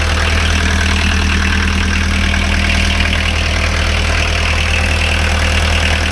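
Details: Pony motor PD4501-316 (small diesel) idling after a glow-plug-timed start from the test-run switch position: steady, even diesel clatter at about three and a half beats per second, no misses or knocks; healthy idle.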